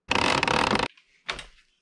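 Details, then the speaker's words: Gmade Komodo GS02F RC crawler crawling in the back garden after the gearbox repair: brief harsh rapid ratcheting burst under drive, then a short clack; the front bevel gear has stripped again. "Bevel gear in the front gone again."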